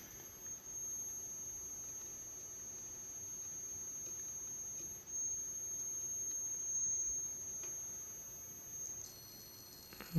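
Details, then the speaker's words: Homemade push-pull driver with a six-layer coil on an ungapped nickel-zinc ferrite pot core: a thin, steady very high-pitched whistle with slight crackling from the pot core; squeal absent with the RFP460 transistor, cause unclear. "Вот немножко горшок потрескивать и начинает как-то свистит."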